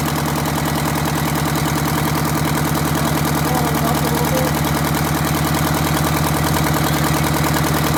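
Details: Detroit Diesel 8V92TA in a Wanderlodge RV: loud, lumpy idle with an uneven beat near 200 per minute and a cylinder dropping out. The engine had a bad injector plus scored, cracked liners.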